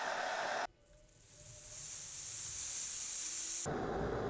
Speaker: this implosion is called cavitation and it creates a bit of a sound when it happens kind of like a bubble popping all of these tiny bubbles cavitating is the roar that you hear